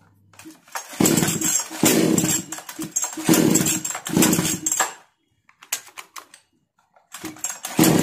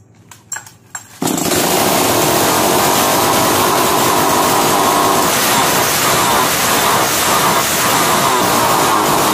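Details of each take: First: 652 (?) chainsaw started on hand-applied choke after carburetor tuning: it fires in ragged bursts, cutting out and catching again; the problem is not solved, and a sooted spark plug is suspected of causing the intermittent running. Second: 652 (?) chainsaw with a starting problem, started on choke after a new spark plug was fitted with its cap tightened: it catches on the first pull and holds a steady high buzzing run, a normal start.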